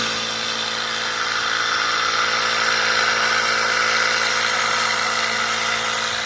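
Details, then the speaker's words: Homemade Tesla turbine prototype powered by firewood, first run, no load: high spinning whir with a fast uneven rattle. The bearings are vibrating and spinning in their housing and will wear. Loose bearing rattle. "It was vibrating and spinning around and if they spin around they're going to wear they're going to wear down. I mean it seems to be working but it's definitely freaking rattling all over the place."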